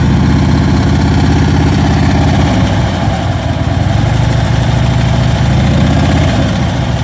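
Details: Ultra Limited V-twin motorcycle at idle: deep lumpy idle with faint quick ticking over the beat; top-end tick, cause not yet pinned down.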